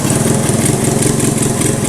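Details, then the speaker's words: 1985 Honda ATC110 three-wheeler, abandoned then revived, in first gear; engine chugs with a pulsing, strained note and never gains speed, dragging against a seized rear drive that needs taking apart and freeing; carb also needs cleaning. "And more importantly, the back end is seized up. I can take it apart and free it up. That's not a problem."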